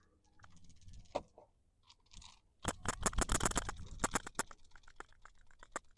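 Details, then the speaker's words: New OEM GM PCV valve for a 2014-2018 Silverado/Sierra 1500 5.3L EcoTec V8, shaken by hand beside the gunk-filled original that barely rattles: quick crisp rattle of light clicks, several a second; plunger moves freely, good valve. "much more of a distinct rattle noise and then just comparing them they're identical so yeah glad this is getting changed today definitely in need of it"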